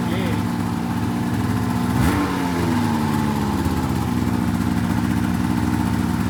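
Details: 2004 RMK 800 two-stroke sled with SOP exhaust; crisp rev rising and falling back to a steady even idle, no knocks or misses; healthy revving.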